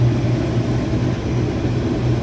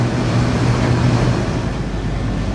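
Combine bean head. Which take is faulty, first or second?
first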